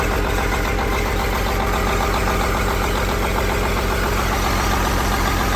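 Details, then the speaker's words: Detroit diesel truck, first start after sitting 11 years after ECM issue: rough uneven idle stumbling three to four pulses a second, missing badly; engine position sensor not reading. "She's alive! It's missing like crazy, but it's alive."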